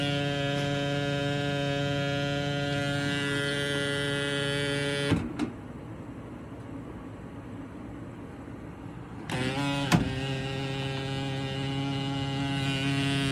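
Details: HVAC unit found during a home inspection: a loud, steady low hum with a stack of even overtones drones on, cuts out for a few seconds, then returns; abnormal unit hum.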